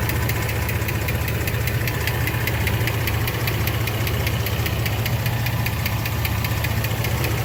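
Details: 2006 Jeep Liberty 3.7L V6 at idle: crisp, steady ticking over a smooth idle from a sticking lifter; hard to pinpoint which one, so all lifters were replaced.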